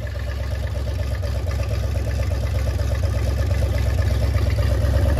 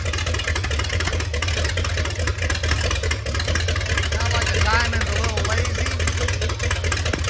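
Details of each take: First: MerCruiser 7.4 V8 marine engine, starboard side, after removing number one piston and freeing stuck rings, Marvel Mystery Oil burning off: even low pulsing climbing with revs, no misfires; now running smoothly. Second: MerCruiser 7.4 V8 marine engine, starboard side, after removing number one piston and freeing up stuck piston rings, Marvel Mystery Oil burning off; deep loud slow slightly uneven idle, sluggish not crisp, timing possibly retarded, lazy rough idle.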